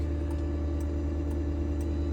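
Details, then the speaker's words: 2015 Ford F-550 utility service truck, gasoline powered, about 7,087 hours, with fuel low: dash low-fuel warning sounding sharp, light ticks about twice a second over a steady cab hum. "Our fuel is low, so that's what that noise is. Got to fill her up."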